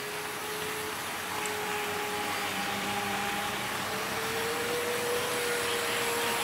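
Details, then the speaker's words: Trix 22764 DB BR 120.0 HO-scale metal electric locomotive with two driven axles, running a short freight train in analog mode. Steady whirring hum with a high whine shifting slightly in pitch; the motor is noticeably loud: noisy motor. "And I will be using a shorter freight train for this run, as the motor on this one is quite noisy, of which you will hear in the test run."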